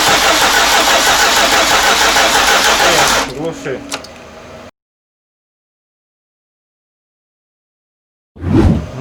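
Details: VAZ 2114 after engine swap, first start attempt: about three seconds of steady cranking that never catches. ECU not yet connected; no fuel rail pressure found, fuel lines possibly swapped; cause suspected, not confirmed.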